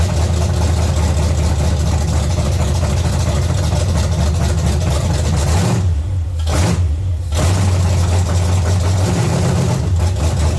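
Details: 1970 Chevy C10, small block 305 V8, after intake and carburetor change: lumpy, uneven idle with sagging dips and stumbles while idle and timing are adjusted; misfire from a broken distributor cap center button.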